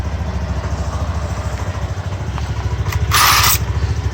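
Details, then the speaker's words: Mondial Fury 110i scooter at idle after new exhaust studs replaced rusted ones: even steady single-cylinder putter with a brief blip midway and no popping from the exhaust; the earlier exhaust putt-putt noise is gone. "Aynen şu an sesi güzeldi bayağı önceden Pırpır ses yapıyor egzozda şu an güzelmiş"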